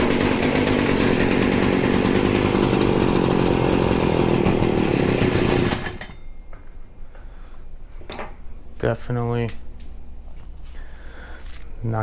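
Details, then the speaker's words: Stihl FS40C trimmer running on choke while the idle screw is adjusted: buzzes for several seconds, then cuts out abruptly and won't keep running. The owner suspects the carburetor needs cleaning, unconfirmed. "there yet do a little bit more still is having a hard time we very well might have to clean this carb it's getting better we are so close"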